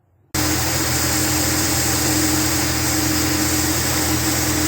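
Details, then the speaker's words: 1976 Dodge D100 restarted after pulling the bowl off its Holley 1945 carburetor; it appears leak-free at idle. The V8 catches and settles into a steady, even idle with no misses or knocks. Normal idle. "W seems to be leak free and okay now and it's running pretty good too"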